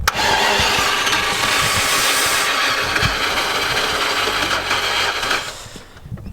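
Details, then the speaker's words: 1991 Range Rover Classic Hunter, unused for years, after a retrofitted non-matching fuel pump; starter churns steadily about four beats a second for several seconds, engine never catches. Cranks, no start; original starter then found smoking and replaced, after which it ran. "Feels like it's close, but no dice."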